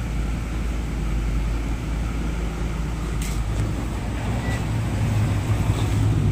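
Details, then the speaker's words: Raider J110 motorcycle that would not start, despite a new battery and spark plug. After two broken wires were repaired and the rectifier socket given a new terminal with the wiring returned to stock, it holds a steady, even single-cylinder idle with no misses: normal. "tapos yung rectifier nga niya binalik sa original yung linya so after na gawin ni boss Ryan yun umok na yung motor ni boss no"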